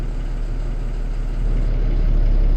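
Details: Kenworth T270 diesel truck after a no-start diagnosis, sensor plugged back in, VGT self-calibrating at key-on: steady deep diesel rumble with even firing, no knocks or misses, slightly rising in level; engine idling normally.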